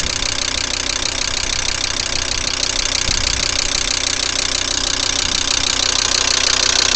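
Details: Cold-morning start of a VW Crafter 2.5 TDI diesel: sharp, regular metallic knock about three per second at idle; owner asks what could cause it, source unknown.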